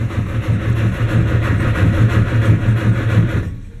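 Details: 1959 Mercedes-Benz 180D (also called a 190 diesel) with new Bosch glow plugs, a new Optima yellow top battery and a rebuilt starter, glow plugs preheated: the starter turns it over at about three beats per second but it never fires.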